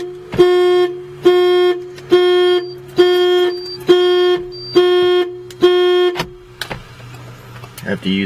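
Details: 1989 Porsche 928 with a long-standing odd no-start: turning the key trips the anti-theft alarm, about once-a-second horn honks, seven or eight blasts, instead of cranking. The locks are cycled with the keyless entry, and the battery then dies.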